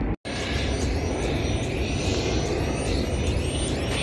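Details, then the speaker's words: Cessna Citation 560 with left engine that won't start, ignition check with igniters switched on: over a steady rumble a crisp snap about twice a second as the power pack charges and discharges; this igniter fires normally, unlike the other one. "All right. Can hear this one firing."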